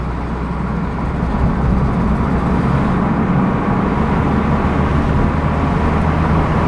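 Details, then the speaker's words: Audi RS3 three-door on its first road test after work: steady road rumble and tyre roar at speed, no clunks or bangs over bumps through turns; suspension sounds healthy. "I know this is the same essentially as a five door, but that felt quite nice. There's no knocks or bangs or anything like that."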